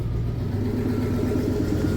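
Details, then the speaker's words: 2002 Toyota Sequoia 4.7 V8, after replacing a failed fuel pump (zero fuel pressure, cranked but wouldn't start): lines primed, then the engine catches quickly and settles into a smooth, steady low hum with an even beat; a healthy idle. "Right. Sounds good. Fuel pump. Got it started again."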